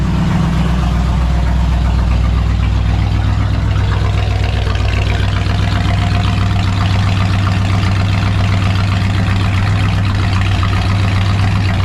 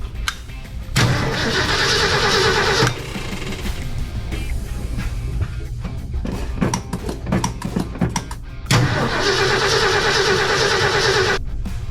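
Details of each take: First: 1966 Ford F100 pickup, sat unused for years, newly revived: steady, even low idle rumble with a regular pulse, no knocks or misses; choke now in use, sounds good; normal idle. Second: 1966 Ford F100 pickup, sat unused for years, oil bath air cleaner: two starter cranking bursts of about two seconds with no firing; doesn't sound like it's getting spark, so crank-no-start from no spark.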